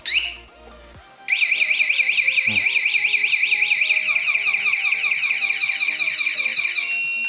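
Piercing high warbling siren sweeping up and down about two and a half times a second: the alarm is armed and triggered.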